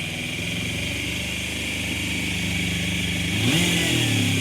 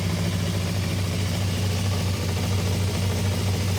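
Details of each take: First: Suzuki motorcycle, free bike first start after refitting airbox seal over carbs: fires straight up to a fast idle of about 3,000 rpm with one blip, too high; idle adjustment then brings revs down. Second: Suzuki motorcycle after idle adjustment knocked revs from about 3,000 to around 1,600 rpm, then up roughly 100: steady, even low idle with smooth firing, no hunting or misfire; throttle possibly a bit sticky.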